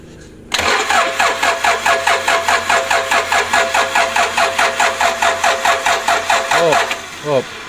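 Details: Toyota Innova 2KD diesel on its first start attempt after engine reassembly: starter churns in an even rhythm, about two and a half pulses a second, for roughly six seconds without catching. Engine cranks but does not start.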